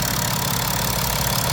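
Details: BMW F10 535d diesel after repair (injector bores cleaned, injectors refitted, intake manifold reinstalled, fuel system air-bled with a scan tool): steady, even idle with a smooth low rumble and no top-end tapping; normal idle.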